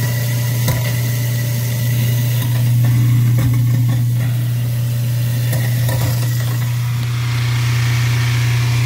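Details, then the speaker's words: Garbage disposal that was backing up, first checked with the Allen key and reset button. A steady low motor hum with clicks and rattles comes from debris, lemon peels, in the chamber. Running it with hot water cleared the backup. "Sounds like there's something in here that shouldn't be. Got some lemon peels."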